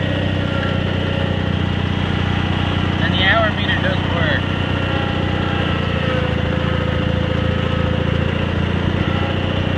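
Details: Cub Cadet 782 garden tractor with rebuilt 42-inch snowblower, started after sitting a couple days: steady even low putter at constant speed, no misses or knocks; healthy idle.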